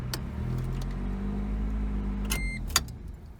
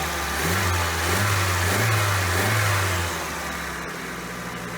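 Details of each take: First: 1988 Toyota Corolla after partial carburetor rebuild, idling in drive: low, even hum with steady beat and no misses, running on all four cylinders; normal idle, idle drops in reverse, no coolant or fuel leaks. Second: 1988 Toyota Corolla after new replacement carburetor installed, not yet fully warm: engine revs then settles to an even but slightly fast idle; high idle, carburetor idle speed needs adjustment.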